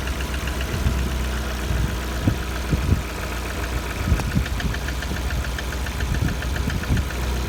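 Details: Lada Kalina 1.4 engine at 70°C: dull knocks repeat over a steady idle, a mechanical knock from inside the engine. The cause is not pinned down, and the owner wonders whether it needs an overhaul.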